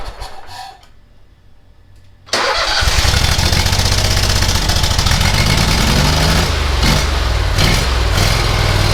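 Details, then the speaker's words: Bush Hog zero-turn mower engine after engine work: cranks, catches at once and settles into a steady, even idle with no misses or knocks; carburetor works perfectly. "thank you that sounds great carburetor works perfect oh perfect"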